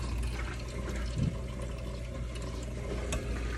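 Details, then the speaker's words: Hydronic radiant floor heating loop showing no temperature rise: uneven gushing, sputtering and gurgling as trapped air is purged out of the line into a bucket. "so what i think we should do let's get a bucket and we're gonna have to try to purge okay next one a lot of air"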